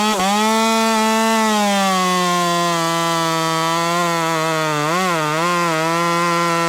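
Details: Ported Husqvarna T540 Mark III top-handle chainsaw (ported by Red Beard Saws), on only its third tank and not fully broken in, warmed up, cutting a same-wood round after a quick chain file: strong steady high buzz holding pitch under load, brief dip as it bites, recovering; normal cutting.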